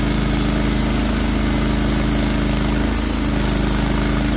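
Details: Norwood HD36v2 bandsaw mill with new roller guides replacing the ceramics, slabbing big black oak in 1.5-inch cuts: steady even engine drone under load with smooth band hiss, no labouring or chatter; band sounds happy, cutting cleanly.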